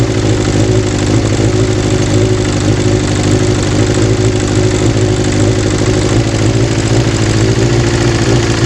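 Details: Kawasaki GPz 400 after fixing a hard-start problem caused by an overflowing carburettor: a steady, even idle with a smooth, unbroken beat and no misses or stumbles; the engine sounds healthy.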